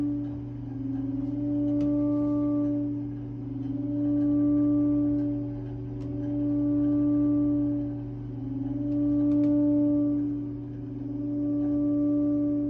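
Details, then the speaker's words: Triangle Tube Prestige boiler after a new valve was installed: a steady low ringing hum swells and fades every two to three seconds. Annoying tonal ringing, source unknown. "I'm wondering what that noise is coming from because it's pretty annoying."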